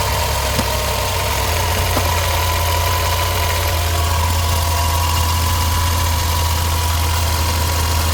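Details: Car with heavy age-related engine vibration, after oxygen sensor carbon-cleaned and refitted with copper anti-seize and copper washer: steady, even idle with smooth low hum, no knocks or shaking; vibration solved, normal idle.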